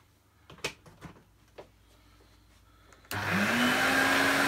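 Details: Electrolux 502 vacuum cleaner after cleaning, bagged, not vacuuming: motor spins up to a steady rising whine with a slight rough edge; worn motor bearings, better but not quiet, cleaning and spraying inside motor suggested.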